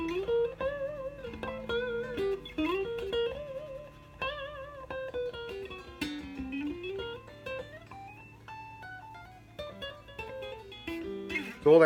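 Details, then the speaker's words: Stratocaster played after fret leveling and dressing, nut height, truss rod and action setup; notes ring clean and sustain, earlier high-string buzz gone, frets level on fret rocker, no fret buzz. "noise is gone they had before run my fret rocker ain't getting their noise at all"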